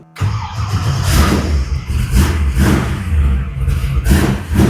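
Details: V8 in '55 Chevy on first fire after engine and transmission install: catches right away, settles into deep steady burble with a few throttle blips; sounds healthy. Normal start and run.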